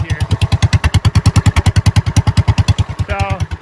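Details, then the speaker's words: Tractor flathead engine with newly fitted exhaust: deep, even thumping pulses at about three per second with a low exhaust note; running steadily and normally. "now it's not the greatest looking exhaust but it's an exhaust uh it kind of sounds pretty thumpy when you really listen to it here"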